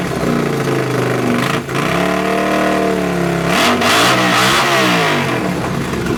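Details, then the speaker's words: Honda CX500 café racer twin, after swapping a dirty fuel filter and colortuning the carbs (pilot screw about 2.5 turns out, slight flat spot right off idle): loud throttle blips rise and fall cleanly back to a steady idle. Runs and idles fine. "but it's running fine now as you can hear it's loud it's so loud it's idling fine as well"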